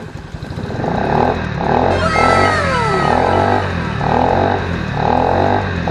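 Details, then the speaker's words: Scooter after exhaust leaks repaired and custom exhaust fitted: steady, even exhaust beat with no puffing or ticking at the joints; exhaust sealed and healthy, sounding different from the original. "Voilà, l'échappement est monté. Maintenant, on voit la différence de bruit."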